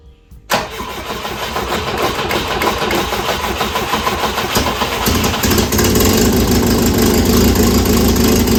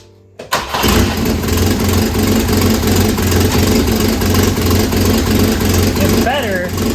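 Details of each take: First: 1967 Volvo Amazon (122) abandoned 35 years, revived and just fitted with new motor mounts, on jack stands: starter whirs, engine fires and holds a smooth, even idle; runs nice and smooth, though an exhaust leak remains. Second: 1967 Volvo Amazon (122) abandoned 35 years, after new motor mounts: engine settles into rough idle with loud raspy puffing chuff; noise comes from a leaking exhaust manifold, which the owner plans to weld shut.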